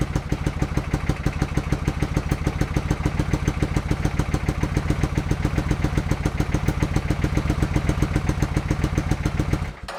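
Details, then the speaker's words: 1987 Suzuki Intruder 700 after misfire work, with the choke cable suspected as the cause: with the front plug lead removed it keeps a steady, fairly even low thump at fast idle on the rear cylinder alone, which it would not do before. "Well, I think that was quite encouraging. The bike was definitely running on that back cylinder."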